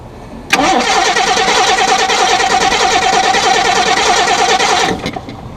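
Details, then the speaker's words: 1987 Jaguar XJ6 after relay replacement (new relay fitted, a ground left unconnected): steady fast starter cranking about three turns per second for four seconds, no firing; fuel pressure present, cranks but won't start. "Let me check fuel pressure. Yeah, it's got fuel pressure. It's cranking."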